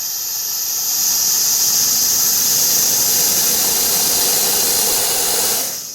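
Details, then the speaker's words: Volvo VNL semi with brake lights only working on hard pedal press; stoplight sensor removed from dash port and brake pedal pressed: steady air hiss rising with pedal travel then cutting off, showing pedal valve and air system work correctly. "As I barely press, I can hear air barely come out. The more I press, the more air comes out. So that's working the way it should."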